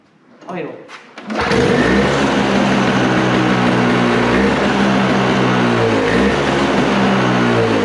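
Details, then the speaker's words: Toro snowblower with R-Tek Briggs & Stratton engine, just after the carburetor was refitted: catches and settles into a loud, busy run with a slightly wavering beat. The owner suspects something isn't set right, giving incorrect idle speed. "Oh, there it goes. I don't think I have that thingy in there set right for the uh um uh"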